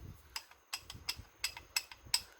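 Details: Supposedly built GM 4L60E automatic transmission on the bench, a part turned by hand: sharp, light ticks about three a second. The reaction shaft carrier shows heavy worn grooves; ticking from worn internals.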